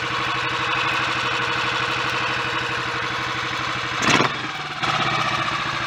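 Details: Royal Enfield 500 after cylinder head and valve gear refit, Redditch S cams with inlet cam retarded one tooth, 230 main jet: even single-cylinder thump at idle with a quick blip; sounds mechanically healthy.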